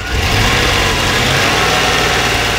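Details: 1992 Corvette V8 idling just after exhaust repair (melted cats) with a steady, even drone; sounds much better, though the idle is not fully smooth and a miss is still heard, suspected on the left bank.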